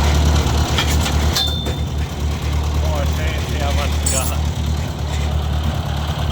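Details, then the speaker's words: 1956 Ford 640 tractor restarted after fixing a pinched oil pressure line: steady, even low chug at idle with no knocks, misses or compression issues; healthy, though a little smoky and running rich, carburetor needs adjusting. "but it sounds like it's running really good guys I don't hear any uh compression issues or anything like that it's a little smoky um I think part of that though is just fuel"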